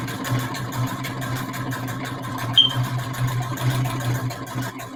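Quick, even needle ticks ride over a steady low motor hum with no catches or grinding; the machine is stitching smoothly and healthily.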